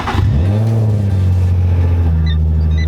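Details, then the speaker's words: Lowered Nissan 350Z: a deep, rough engine note with a raspy edge that holds steady through the rev, from a bad exhaust leak at the damaged Y-pipe. Exhaust leak. "Let me go and just turn it on real quick so you can hear what it sounds like. I do have a pretty gnarly exhaust leak at the white pipe."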